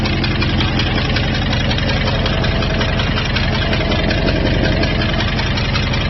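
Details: 2002 Jeep Grand Cherokee WJ 4.7 V8, professionally rebuilt with 4k miles, at idle, temperatures and oil level normal: faint fast tick, two to three per second, over low rumble, started after a rest-stop restart; exhaust manifold loosening suspected.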